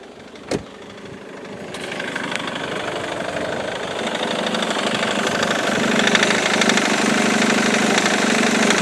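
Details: Ford Mondeo Mk3 2.0 TDCi diesel starts then idles with a steady tapping knock about three per second, growing louder; persists after replacing the crankshaft pulley (FEBI), accessory belt and tensioner.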